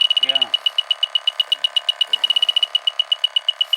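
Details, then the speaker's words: 18-year-old 2.5-ton Carrier AC unit nearly out of refrigerant, outdoor fan cycling on and off: leak detector beeps rapidly, about four a second, with probe at the coil; refrigerant leak in the coil. "there's not much pressure in the system and it's going off like that that's in the coil"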